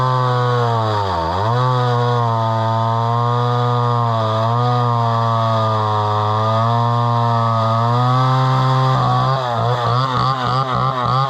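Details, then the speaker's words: Homelite Super XL chainsaw bought at auction, about 50+ years old, 20-inch bar, restarted; revs up cleanly, holds a strong even howl, then bogs and recovers in the cut; runs healthy with good power. "but that runs pretty good and it's got pretty good power that's a 20in bar so you know"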